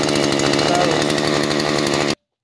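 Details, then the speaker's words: Husqvarna 435 chainsaw after carburetor replacement, badly flooded before, now running hard at high revs with rough burbling edge while pushing out excess fuel; flooding clearing. "hopefully you can hear me but you can see how bad flooded that was now that it's running pushing all that excess Fel out"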